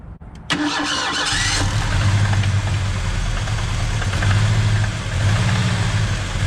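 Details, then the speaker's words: 1986 Mustang SVO turbo engine starts and idles unevenly after new spark plugs and wires: the misfire is still there. Plugs point to cylinder 1, and the owner suspects a fuel injector short from patched wiring. "Nope, still got a miss. I'm not sure what's going on here."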